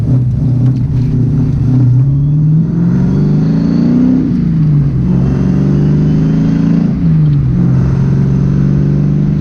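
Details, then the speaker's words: SN95 Mustang test drive after fixing an intake vacuum leak: clean even pull through each gear, smooth shifts, steady deep exhaust rumble; the former part-throttle hesitation and jerkiness are gone. "I can already tell you it feels way better underfloor used to underpart Donnell ahead like a hesitation like a little jerky do that's completely gone"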